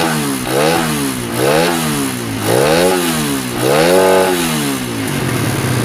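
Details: Honda Sonic motorcycle with hard starting and poor acceleration, after fitting a different carburetor and tuning, compression somewhat low: engine blipped up and down repeatedly, picking up cleanly each time over background music; normal revving.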